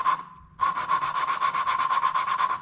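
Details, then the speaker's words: Hand lapping a cylinder-head valve with a suction-cup tool and grinding compound: rhythmic gritty scraping strokes about six a second. When the pitch changes, lift the valve and regather grit. Normal valve lapping. "grind it now you can hear it start to change pitch that's usually a good point when you lift the valve up a little bit and you kind of recollect reconnect and gather some more of that grid up"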